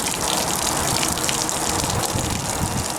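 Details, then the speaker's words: Escape 19 ft travel trailer hot water tank draining for winter with the anode-rod drain plug out: steady rushing, splashing gush of water pouring freely from the open drain. "Once the hot water tank's completely finished draining, we're going to put a wrap of Teflon tape on here and put it back in for the winter."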